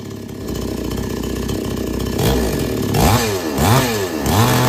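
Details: Chainsaw that would not take load or restart after running. After the H/L screws are set fully in, then out three turns, an even idle picks up cleanly through three quick revs and drops back without bogging: normal running.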